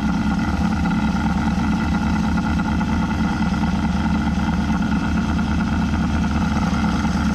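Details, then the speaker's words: Abandoned 1983 Mazda B2000 minitruck, carbureted four-cylinder, first run after compression test (about 160 psi, choke wedged open): steady, even, quiet idle like a sewing machine, no knocks or misses, smoking slightly; normal idle. "hear how quiet that thing really is like a little sewing machine baby a little sewing machine who just smokes a little bit"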